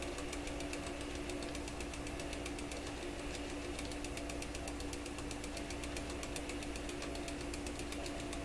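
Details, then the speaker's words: Webster record changer motor in Electrohome Chippendale console, powered on after repositioning the motor, which slowed it: steady hum with fast, even ticking knock each turn, sounds really loose; owner suspects the rotor striking something, unconfirmed. "Jeepers. That sounds just terrible. Really loose. Well, you know what it sounds? It sounds like the rotor is coming around and whacking against something every time it goes around."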